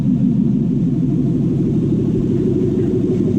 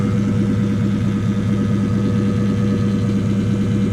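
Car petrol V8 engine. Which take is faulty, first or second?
second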